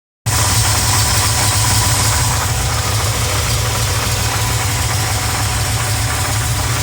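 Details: Pontiac 400 V8 in a LeMans idling: a rapid, regular knock ticking through the low rumble, under diagnosis.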